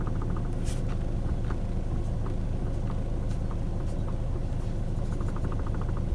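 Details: 2012 Hyundai i40 steering: bursts of quick light clicks over steady low car rumble; coupler already replaced but clicking remains, cause unknown.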